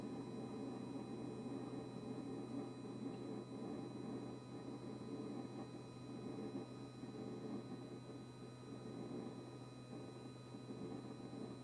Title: Kitchen-Aid KRFC704FSS00 constant fridge compressor buzzing noise after service by Blue Diamond.